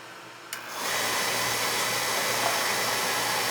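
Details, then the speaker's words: Oil burner during annual service, control jumped out to run it: pump and fan spin up to a smooth, even hiss-and-hum with no grinding; good oil flow, so filters are fine; normal running. "Alright, we're getting a good flow here, so our filters are fine."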